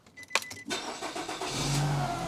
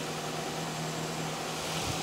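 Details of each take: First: 2010 Nissan X-Trail T31 2.5 L, battery not being charged: engine cranks and catches, then a steady whine over the idle edges up in pitch; alternator not charging at all, internals presumably failed, alternator whine. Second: 2010 Nissan X-Trail T31 2.5 L after alternator repair, engine running with headlights on: even running with no whine or squeal, previous screaming noise gone, charging 14.4 V, no battery light; normal alternator running.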